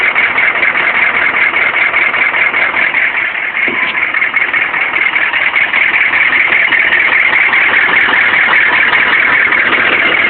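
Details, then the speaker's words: 1995 6.5 diesel with suspected bad crank or optical sensor and bad turbo, random timing loss: harsh, loud clatter at idle with uneven pulse about 2.5 per second and smoking; rough running, cause not identified. "that's about what it's been sounding like for the last 400 miles it's still smoking though"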